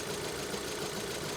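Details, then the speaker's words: 2012 VW EOS at idle with the A/C on, stumbling hard, bucking and misfiring with an uneven, lumpy, wavering beat and a knocking edge; the car struggles to keep running despite damage only at the rear. Cause unknown. "can you hear what's happening she's really stumbling hard this is weird because the damage is to the back so why are you stumbling up front what's wrong"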